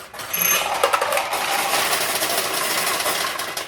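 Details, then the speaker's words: Restored 1972 Nishijin Model A pachinko machine: a steady metallic rattle of balls pouring for about three seconds, then tapering off, as the hopper refills the middle hopper on demand. Normal refill. "That noise you just heard is more balls from the hopper going into the middle hopper. In other words, the machine said, hey, I need some more balls for the middle hopper."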